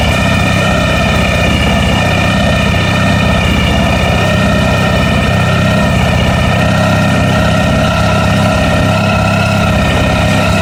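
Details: ST1100 motorcycle at a loud, steady idle with a loose, uneven rattle over the low engine beat; cause of the rattle unknown.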